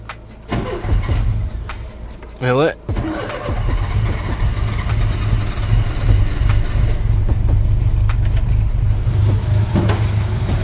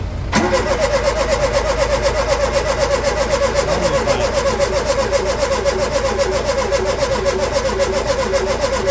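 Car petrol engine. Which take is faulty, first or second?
second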